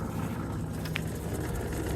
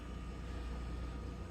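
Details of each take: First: yeah it's noisy it's getting noisier and noisier every day Second: Noisy refrigerator condenser fan motor after a cheap fix, running again under the fridge: a smooth, steady low hum with no rattle, wobble or ticking. It is super quiet and blowing air across the condenser.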